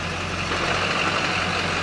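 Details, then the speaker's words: Chevy Silverado dually with manual gearbox and Duramax diesel at idle, clutch released: light gritty whir over the diesel clatter from a moderately worn clutch throwout bearing. "You hear it? Yeah, it's got throttle bearing noise on the clutch assembly there. Not great, but not horrific."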